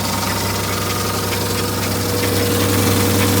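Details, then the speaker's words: Old project car with no power steering: rough, loud idle with uneven ticking clatter about 3-4 per second; owner says the power steering is one noise and suspects the water pump for the rest. Noisy idle, unconfirmed. "Yeah, it's got no power steering. That's one of the noises. And the rest might be the water pump"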